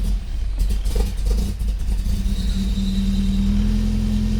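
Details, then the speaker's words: 1994 Nissan 240SX convertible after correcting the firing order and a loose distributor cap: a low, uneven idle with hiss and a rising whistle, from two intake vacuum leaks. "It had like a mist or something, but this right here was a vacuum leak. And then this right here was a vacuum leak."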